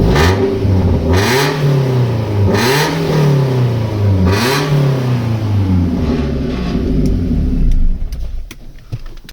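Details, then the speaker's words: BMW petrol saloon with M44 engine, exhaust hanging off, being revved repeatedly; loud, deep, raspy rumble like a diesel tractor, far too coarse for a petrol engine. Blowing exhaust from a broken rear silencer (back box), replacement needed. "so as you can hear sounds like a diesel tractor not a petrol bmw"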